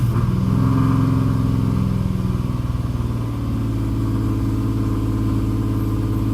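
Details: Engine throwing P0300 random/multiple cylinder misfire, started after new NGK plugs, ENA coil packs, Nissan valve covers, Z1 silicone PCV hoses, new Optima battery; throttle body and MAF cleaned, Tomei exhaust. Revs briefly, then uneven lumpy stumbling idle near 1k rpm, dies; cause unknown.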